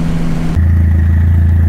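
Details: Dodge Neon SRT4 running again after repeated fuel pump problems: steady, even low hum settles in after a brief rev, no knocks or misses; normal running.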